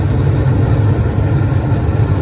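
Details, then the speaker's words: Attic gas furnace after igniter glows and gas valve opens: steady even low roar with no pulsing or cutting out; burner lit, flame sensor keeps it running; normal burner operation. "Okay, this after the igniter, it will allow the gas to open from here, and you can see the flame."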